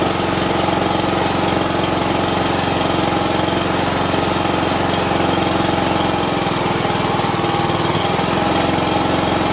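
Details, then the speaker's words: Cub Cadet i1050 zero turn, left outside for years, after carburetor cleaning, on auxiliary fuel with choke on: steady, even chugging of about 2.5 beats a second with no misses; runs, with white smoke, awaiting replacement push rods. "all right it's cranking at least we got it going so"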